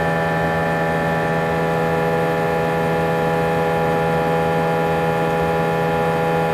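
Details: A320 cabin during takeoff: a loud, steady drone with a strong fixed low hum and stacked tones above, and vibration felt through the seats for the whole 5-hour flight. Intercom announcements were drowned out and passengers felt something was wrong. The excessive engine noise has no known cause.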